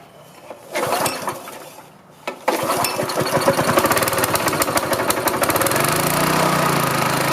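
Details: Rolair gas-engine air compressor with Honda engine, unused for years, starting after a carburetor cleaning; engine pulls over, fires and settles into a steady run while the compressor tone builds as air pumps.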